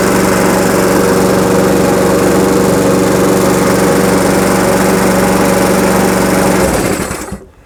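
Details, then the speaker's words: Lawnmower that was running poorly, after repair that ended with a new carburettor: even steady buzz at constant speed with no surging or hunting, then a clean shutdown; it runs smoothly. "I think that is a success. So it was a little bit of a journey, but we got there in the end."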